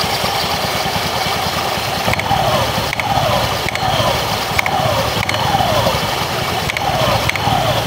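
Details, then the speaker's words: Honda Beat FI eSP scooter CVT rattle, small loose clacking every two-thirds of a second when throttle is pulled at low rpm, from worn, loose sliders on the variator roller housing cover plate. "kedengarannya teman-temanmu klepek-klepek klepek-klepek tapi kecil gitu ya klepek-klepek pada saat gas ditarik"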